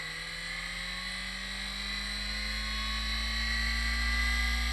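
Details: Seagate 1GB SCSI hard drive on an Adaptec AHA-1542CF, set to device ID 1 with a 16-second delayed motor start: a smooth whine climbs evenly over a steady hum, no scraping or clicks; normal spin-up, drive appears to work.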